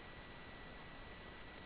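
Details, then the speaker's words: V-MODA Boom Pro mic with Philips SHP9500 headphones, plugged through its splitter into motherboard 3.5mm jacks: steady low hiss with thin whines near 2 and 4 kHz; suspected interference inside the PC case, fixed by using an external USB audio adapter. "if i'm quiet for a second you can hear exactly what the issue is it's that horrible annoying hissing interference sound in the background"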